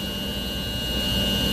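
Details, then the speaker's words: Heat pump outdoor unit with inverter compressor running, condenser fan on, compressor drawing 7.8 amps AC on clamp meter; steady even hum with faint high whine, no knocks or rattles; normal running. "You can hear the compressor, but there's a proof. The amperage, 7.8 amps."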